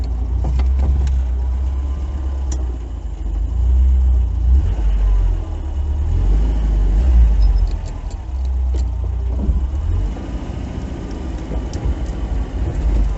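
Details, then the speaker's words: VAZ 2101-07 after ball joint replacement, creeping and turning at low speed. Only a steady engine rumble is heard, with no creaking from the front end. No suspension squeak. "короче уже скрипов нет таких"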